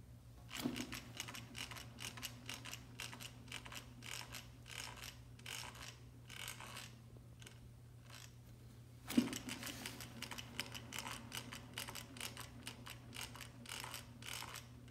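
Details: Evercross H5 electric scooter, about a week old: a rough, pulsing scrape repeats steadily as the front wheel turns, over a low hum; front wheel bearings suspected.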